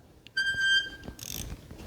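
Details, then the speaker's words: Yamaha Raptor with a swapped 1050cc engine cranks very slowly with a sharp, steady screech, then a rough grinding burst. It feels like something is holding it up, and the noise seems to come from low near the starter. A bad starter is suspected. "Um we can hear a kind of screeching noise, but it does turn over, but it turns over really, really slow."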